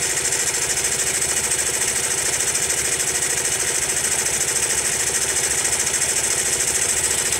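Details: Honda Monkey small single at idle: hard metallic ticking about three per second in time with the beat. The noise stays even after a tappet adjustment; source undetermined.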